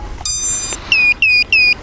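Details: Arris X220 Pro race quad on power-up: one long high tone then three short falling chirps right after battery is connected, the normal startup tune.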